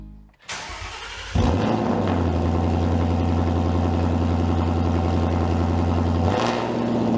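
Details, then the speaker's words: 2018-2023 Mustang GT just fitted with an MBRP Black Series Race cat-back exhaust (quad black tips): starter whirs, engine catches with a loud bark, settles into a deep, steady, even burble; loud by design but normal start-up and idle. "So Jason, the race is advertised. It is loud. Hey, we designed this kit to be loud, but still sound great."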